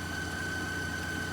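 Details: John Deere 401D diesel tractor running again after stalling and failing to start, fuel system troubleshooting with water in the tank discussed; low steady diesel idle with even tone, no misses or hunting; normal idle.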